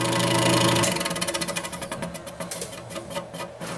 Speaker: the noise is coming from the blower wheel scraping against the housing and that's normally the cause of noise with these exhaust fans